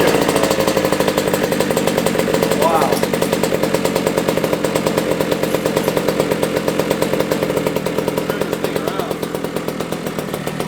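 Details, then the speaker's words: 1982 Honda MB5 two-stroke after head gasket fix, Dellorto PHBG 21mm carburetor kit and new Proma GP exhaust, untuned: crisp, quick popping at a steady even beat with no hunting or racing; runs clean, air leak appears fixed. "she's running really good right now i'm boxing the whole garage right now it's a two-stroke though"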